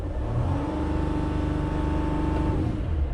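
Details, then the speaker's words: Mercedes Sprinter diesel with no stored codes and suspected wiring problems: revs climb then hang flat and won't pass 3000 rpm, seeming air-starved; engine will not rev, air restriction suspected. "We are not getting nothing at all. So it seems like the air just can't really get to where it's going."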